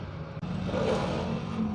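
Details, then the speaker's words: E-bike that suddenly ran rough, tested after a burnt, broken wire was rejoined with new terminals and all connections were resoldered; the hub motor gives a brief smooth whir rising evenly with no stutter or catch; it now works, normal motor run. "Ito na nga after natin na mabag uhan so The Moment Of Truth i-testing natin kung gumagana na yan binag uhan ko na lahat yan hininang ko pa para matibay so awa ng Diyos gumana na alos na si customer"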